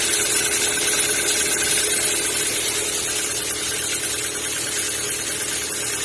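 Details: Kia Ceed 1.6 engine, cold: light, fairly even ticking about three times a second over idle that disappears once warm; owner suspects valves or lifters, cause unconfirmed.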